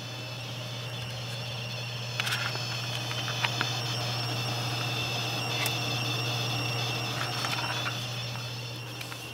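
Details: Corsair AX1200 PSU when new, under load: a steady low hum with a thin, high electrical coil whine. The unit was replaced after two weeks.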